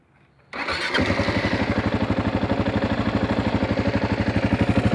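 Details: 2016 Kawasaki KLR650, about 5000 miles: engine settles into a pulsing idle, about three throbs a second, with a buzzy rattle/vibration noise; source undetermined.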